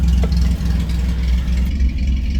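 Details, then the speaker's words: Ford Granada V6 after crash repair, just cold-started, with adjusted carburetor and adjusted ignition. Deep, slightly lumpy low idle with an uneven chop in the exhaust beat, from three cylinders per side. Normal idle. "That is what you get with 3 cylinders on either side. But it does sound awesome."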